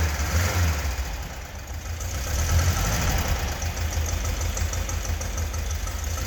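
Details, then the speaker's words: 1976 fuel-injected VW Beetle convertible air-cooled flat-four, first run after a top-end rebuild that fixed loose head bolts, seized rings and missing cooling tins. Steady, even idle with a soft low thrum and no knocks or ticks. Runs healthy. "so it started up really nice there was no smoke there was no noises"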